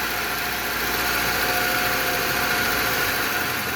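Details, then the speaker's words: Petrol car engine idling smoothly with no ticking or knocking after replacing a seized, poorly lubricated rocker arm (balancín) that caused loud noise, followed by an oil change. "Okay después de hacer el trabajo el cambio escuchen qué finito se escucha"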